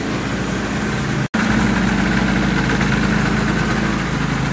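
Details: 1980 Yamaha SRX 440 single after new stator installed: steady, even single-cylinder beat at idle with no misses, knocks or rattles, a healthy idle; headlight and taillight now bright.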